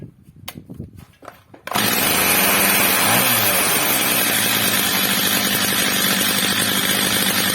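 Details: Old, well-worn Stihl MS230 chainsaw after replacement carburetor and clutch springs, carburetor screw leaned slightly, max revs set a bit under about 14,000 rpm: clattering starting pulls, then screams to a steady even high rev, no surging or bogging; well-tuned.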